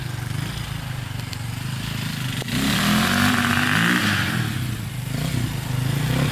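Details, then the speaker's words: Probably 2002 KTM 400 EXC single-cylinder dirt bike, first test ride after a short warm-up in the rain: revs then sags and labours instead of pulling cleanly, feeling like it hits the rev limiter at once; bogging, cause unknown. "kind of bogging down a little bit i don't know what's going on with it it's kind of weird"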